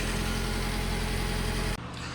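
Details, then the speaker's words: Subaru Sambar engine, first startup after rebuild with new water pump, timing belt and seals: steady even idle, smooth low hum, water pump gurgling, a loose shield rattling, no knocks or misses; normal idle. "so the water pump is pumping cuz I can hear it girdling the uh timing belt is keeping time"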